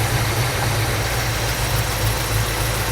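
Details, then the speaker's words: 1972 Ford Mustang Mach 1 with a Ford 4300 carburetor, idling after the timing was retarded, which lowered the vacuum: a lumpy shaky idle with the revs drifting up and down, unsteady hunting; the cause is not yet found. "mais c'est un médium qui tremble un peu et ce qui se passe, je ne suis pas fou de ça non plus"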